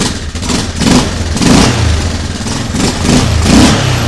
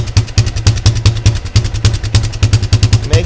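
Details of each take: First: Yamaha Grizzly 600 ATV (about 1998–2001) single-cylinder after fitting a replacement choke mechanism: pulls steadily with throttle blipped about every two seconds, picking up cleanly; runs fine. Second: Yamaha Grizzly 600 ATV (about 1998–2001) single-cylinder: lumpy idle thump about three beats a second, slightly uneven, with black smoke and choke partly on; owner thinks it is running rich and plans to adjust the idle mixture screw.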